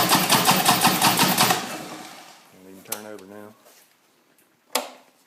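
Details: Harley-Davidson motorcycle that cranks but won't start, with a strong raw gas smell: rapid, regular starter chugging for a second or two, then it dies away without catching. Cause suspected, not confirmed. Cranks but won't start.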